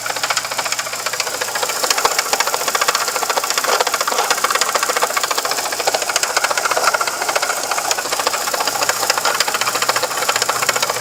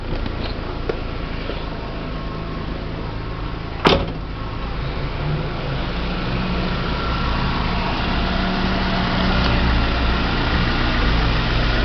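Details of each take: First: VW Gol engine with a fast, steady metallic rasp and ticking, about three or four per second, that sounds internal but comes from the worn water pump circulating engine coolant. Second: VW Gol with 164,000 (units not stated) on the original water pump, after replacing that worn, loose pump, which had a plastic impeller: a steady, even low idle hum with no knock or rattle. The engine noise is resolved.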